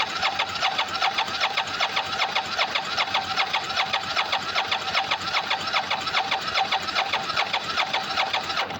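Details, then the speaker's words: Bike won't start after running out of fuel while remote-started months ago; starter whirs about 2.5 pulses a second with only an occasional pop, fuel pump not engaging or feeding the carbs; owner plans new fuel pump, starter solenoid and battery. "because it um this thing won't feed fuel to the carbs."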